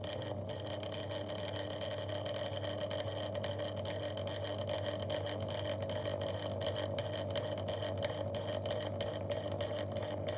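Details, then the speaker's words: 2002 Lloytron F029 9-inch desk fan, tilted downward: steady low hum with a faint whir that never climbs much; motor slow to start and stuck at low speed, little grease in bearings, likely dry, tight bearings. "It ain't too good at running. There's very little grease coming out of there. Usually one of these if the other one is even better than this, it'll just start up and run smoothly. So it's low speed and that is terrible."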